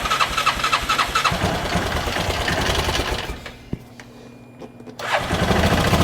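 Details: 2013 Bennche 500 single-cylinder, diagnosed for knocking, heavy blow-by and oil smoke, faulty O2 sensor: fires evenly at a steady beat, drops briefly off throttle and picks up; no knock heard now, normal running.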